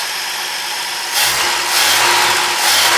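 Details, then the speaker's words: 1954 International R100 pickup with a freshly installed Ford 300 straight six, just after first start, cold, choke on, timing guessed, 50 psi oil pressure: clean throttle blips rising and falling smoothly with no lifter clatter or knocks; normal light revving. "And I think the timing's even pretty close. Wow, it sounds great. No lift or clatter."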